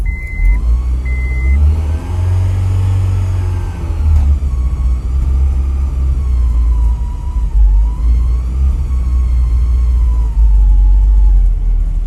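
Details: Honda Prelude after new fuel pump installed: starter cranks on and off with steady churning, revs never pick up; engine turns over but won't fire, so fuel pump was not the cause.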